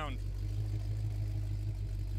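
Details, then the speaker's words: Abandoned 1970 Oldsmobile Cutlass V8 after about 15 years sitting, first run with electric fuel pump: steady, even low exhaust rumble at idle, no lope or chop; smooth healthy idle. "We're just happy to hear it running. Yeah, hell yeah. Sounds pretty damn good."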